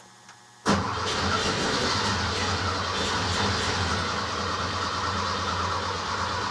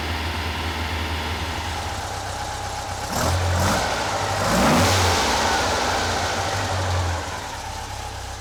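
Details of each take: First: Rebuilt Porsche 912 flat-four in a 911, first start, idle stops set to keep it above 2000 rpm for cam break-in: catches after short crank into rough, lumpy idle; one carburetor dry, owner suspects stuck float; running on one bank. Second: Rebuilt Porsche 912 flat-four in a 911: even fast idle with clean throttle blips that rise and settle smoothly, after timing retarded from about 38 to roughly 31–32 degrees; normal running.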